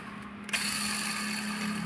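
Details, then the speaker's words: Toyota Etios petrol, bearing hum heard when the clutch pedal is lightly pressed: removed clutch release bearing spun by hand gives a dry, gritty growl with a faint steady hum as it coasts down; worn release bearing. "അപ്പൊ ഈ sound കേൾക്കാനുള്ള main പ്രശ്നം എന്ന് പറയുന്നത് ഇതിന്റെ release bearing പോയതാണ്"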